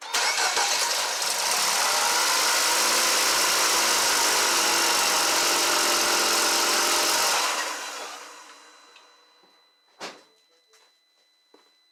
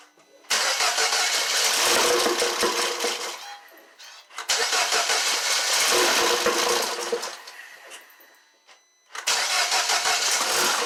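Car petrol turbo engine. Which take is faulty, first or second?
second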